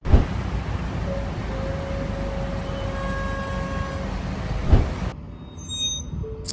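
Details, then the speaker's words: Car rolling slowly while braking: a thin, steady brake squeal rising in pitch over a low rumble, from pads worn through with metal rubbing metal; if pads aren't replaced soon the discs will need replacing too. "هذا الصوت معناها انه الفحمات خاصه وبلش احتكاك المعدن بالمعدن وفي حال ما بدلت الفحمات مباشره رح تضطر بعد فتره تبدل الديسكات كمان"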